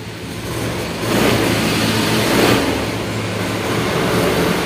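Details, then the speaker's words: Honda Scoopy ESP fuel-injected scooter with weak fuel pressure, hard starting and fluctuating idle revs up sluggishly and unevenly on throttle blips, delayed response; cause in the fuel pump. "nah kayak gitu ya jarumnya naik turun nah tikas Dikas telat banget ya Dikas telat"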